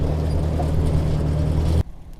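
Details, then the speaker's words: Ford Workmaster 641 tractor after a tune-up (carburetor rebuilt, timing reset, points, condenser and plugs done), climbing a hill in second gear under load: a steady, even low drone with no surging or hunting; running smoothly. "Already can tell way better. No surging climbing. Just a nice steady purr."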